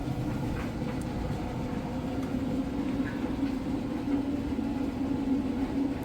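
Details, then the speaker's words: Speed Queen electric dryer on max dry, high heat, timed, load of towels, vent hose off so blower exhaust audible from back: smooth steady rumble, airy hum, faint tumbling, no knocks or squeals; running normally. "From here you can see in here, it sounds great. I don't have my vent hose on the back, so you can actually hear the blowing coming out of the back."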